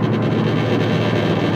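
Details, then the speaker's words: 2007 Subaru Impreza hatch 5-speed, not high mileage: deep heavy drone filling the cabin at highway speed, worse on acceleration, propeller-like throb, louder from rear; tire ruled out, drivetrain fault suspected, unconfirmed. "I can get a quite heavy and when when I got off at the same speed I mean it's causing a lot of noise it's something definitely going on in the drivetrain it's really heavy there"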